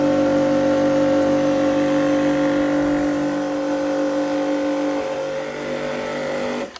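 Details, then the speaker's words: Karcher K4 Compact pressure washer (1.637-311) before repair: steady pump whine with hissing spray over motor hum, water leaking from a cracked control head/manifold, possibly from freezing or a kick. "Today we're going to look at a Karcher K4 compact who has developed a leak, so we'll attempt to fix that."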